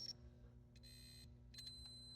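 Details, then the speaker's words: Williams System 11b Black Knight 2000 pinball lamp matrix, logic probe on the Q55 pre-driver. Short bursts of high beeping match the other channels, so this stage is working and the TIP42 transistor is suspected of killing the lamp row or column. "So those sound the same there, and so it's probably this big transistor here."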